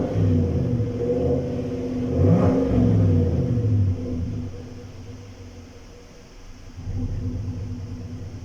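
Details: 2017–2018 GMC Sierra with misfire: revs up and settles with a slightly uneven, lumpy pulse; no engine codes, live data shows misfires on cylinders 3, 2 and 1; fuel pump being replaced, injectors also suspected.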